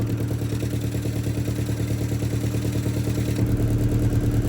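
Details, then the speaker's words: Car idling after exhaust work with hand over the tailpipe: regular puffing chuff about three per second at a pipe joint; exhaust still leaks there a bit but better than before, may be an MOT advisory. "you can see it does still leak from there, and you can hear it still leaking from there a bit, but hey ho, it's better than it was anyway."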